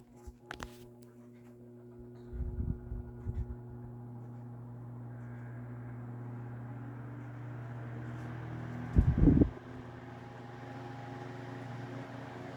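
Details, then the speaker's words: Mid-late 1950s GE Standard 12-inch two-speed oscillating desk fan F14S125, sealed non-serviceable motor: spins to steady smooth low hum with a couple of light clunks, fast swift oscillation; normal running on low. "I do like the fast oscillation arc speed that these have. Very swift, sweeping there. And this is just low."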